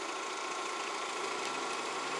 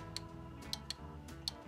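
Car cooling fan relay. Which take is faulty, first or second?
second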